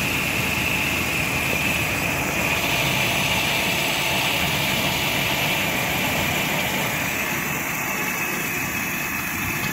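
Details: Nissan 2.4 pickup after replacing faulty MAF sensor with original Nissan part, reading about 2.4 g/s: steady even idle with smooth low rumble, no misses, stumbles or surging; power loss fixed.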